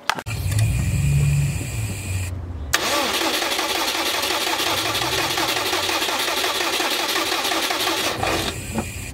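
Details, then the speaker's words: Subaru WRX with swapped JDM EJ20 2.0 engine in a US car, spark tester on plug: starter cranks steadily about six seconds, never fires; no spark, crank no start, crank/cam sprocket or signal mismatch suspected, not confirmed. "as you saw the spark plug it's not firing that could be a number of things being that this is a gdm in a USD car the sprocket may not have gotten changed"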